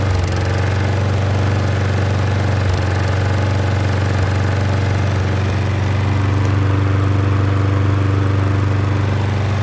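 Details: Troy-Bilt self-propelled mower with Briggs engine and key start, after replacing the leaking gasket on the carburetor bowl screw: run 40 minutes, restarted, steady low drone with no surging, misses or dying even when tilted high; normal running.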